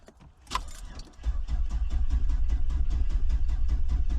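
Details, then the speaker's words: 2001 Ford Expedition XLT V8 crank-no-start: keys jingle, then steady starter churn of 3–4 beats a second that never catches; owner sees the fuel gauge not moving and suspects the fuel pump. "Give it a couple of cranks. It has gas. Well, maybe not. I don't know. The gas thing's not moving."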